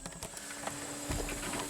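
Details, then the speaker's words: 2014 Nissan Rogue rear washer pump, key on during diagnosis of a dead rear wiper (no BCM codes); short steady electric hum with faint whine as it squirts, washer working normally. "see is squirting works fine"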